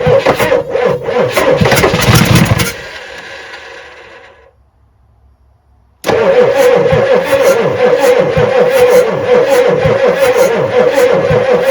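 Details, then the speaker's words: 1986 Ford F350 6.9 IDI diesel being started with ether: turns over sluggishly about three compressions a second without catching; cranking slow. "Another little dose. Cranking a little slow."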